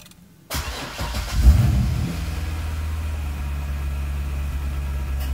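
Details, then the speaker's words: Chevrolet Corvette C6 Z06 after starter work, cold (not a hot start), push-button start: brief crank of barely a second, then fires cleanly and settles into a steady, even low idle; normal quick start for comparison. "But I just want to show you how fast the car should start when you hit this button."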